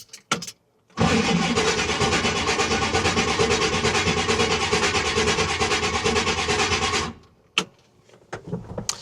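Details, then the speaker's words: 1970 Chevy C20 project truck, first crank on a new battery, no start: about six seconds of harsh whirring cranking at roughly three beats a second; owner suspects the starter is slightly misaligned and may need spacer plates. "You know, one thing I will say is it kind of sounds like the starters kind of misaligned slightly, like maybe it needs um some starter spacer plates."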